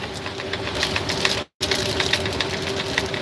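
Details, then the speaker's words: Semi truck driving in Wyoming wind: irregular light ticks and taps over steady road and engine drone from something small bouncing loose in an overhead cab compartment. "what the heck is bouncing around up there in that compartment"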